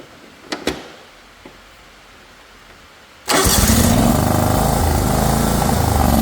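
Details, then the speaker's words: John Deere GX255 mower that sat outside with a very dirty air filter, run with the filter removed: it catches after a short crank and runs lumpy and uneven with a pulsing beat; no improvement, and moisture in the carburetor is suspected. "quick well that didn't help it none let's try it again"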